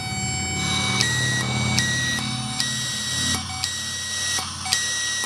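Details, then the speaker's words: Subaru solenoid valve tested for code P0065 by powering it and blowing through it: sharp clicks about once a second switching a whistling airflow on and off; valve opens and closes cleanly, good. "But as I open it by clicking on sending power to it, it'll blow easier. So I got a little flow."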